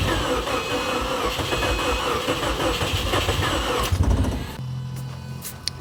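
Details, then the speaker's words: 2008 Subaru WRX, first start attempt after purchase as a dead car: uneven, labouring starter rhythm of about four beats a second that never catches and stops abruptly; slow cranking, owner suspects low compression but unsure. "That sounds kind of like low compression, maybe. Yeah, it sounds like low compression. It sounds like it wants to go."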